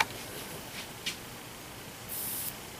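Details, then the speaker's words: Teflon-coated Tesla-style vortex coil excited at 15.1 kHz through an amplifier, one lead connected: soft steady ozone hiss with a brief sharp crackle and bright fizz from electrical arcing, i.e. normal corona. "you can hear some ozone hissing the arcing that occurs the coil"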